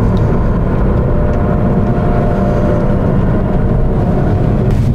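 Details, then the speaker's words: Alfa Romeo GT JTS driving: faint steady spaceship-like whine over heavy road rumble from worn rear wheel bearings; pitch rises and falls with speed, stops at standstill. "you hear that whining noise that spaceship sounding whining noise that comes from the back it's your wheel bearings"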